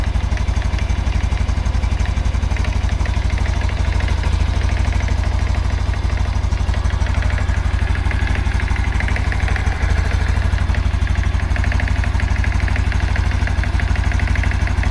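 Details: 2022 Honda Super Cub idling, hot or cold: light uneven knock under the putter, easing when throttle is blipped and returning as revs settle; owner suspects clutch plate area, unconfirmed.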